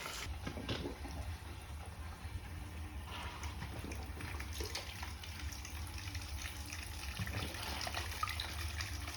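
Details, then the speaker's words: Boiler hydronic heating zone bled backwards from the supply (no shutoff valve on the return) on a no-heat call: irregular gurgling and spitting of water with air bursts from the hose, trapped air purged from the lines. "look at that air look at the hoses kind of convulsions that's the air that's air in the lines"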